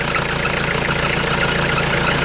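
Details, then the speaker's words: 1996 Mitsubishi Delica L400, 2.8L 4M40 diesel, shortly after restart following head gasket replacement, warming toward temperature: steady, even clatter with no misfire, hunting or puffing. Nothing is blowing out of the water yet, so it idles normally. "so uh yeah it's not blowing anything out of the water yet looks fine I'm gonna let us run the temperature and I'll get back to you"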